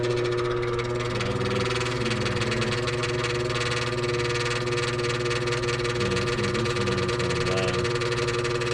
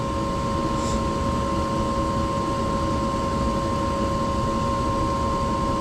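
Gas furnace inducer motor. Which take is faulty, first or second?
first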